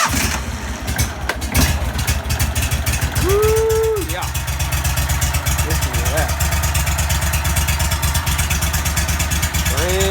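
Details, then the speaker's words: 35 hp Vanguard V-twin on a Go-Devil surface drive after an oil change, idling on choke with no throttle: even steady low thumping, no misses or knocks; normal choked idle. "all right let's choke the farest thing up here and let idle a little bit let y'all listen to it so we're just going to pull a choke here no throttle just choke"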